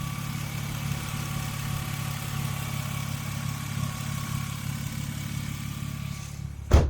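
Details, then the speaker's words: BMW E36 coupe after routine maintenance: steady, even low rumble at idle with no knocks, misses or hunting; engine runs smooth, like a dream. "But you can hear this thing runs like an absolute dream. I actually love this car. I'm glazing over a car. Listen to it, running so smooth."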